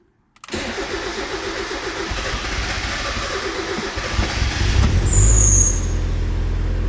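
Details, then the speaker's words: Turbocharged Mazda Miata first start after winter storage, battery tended, oil pressure primed with fuel relay out, fuel pump primed: starter spins briefly, engine catches and settles to a steady even idle with a small blip; normal cold start. "wasn't a bad start considering it's at all winter so we'll let that start for a while"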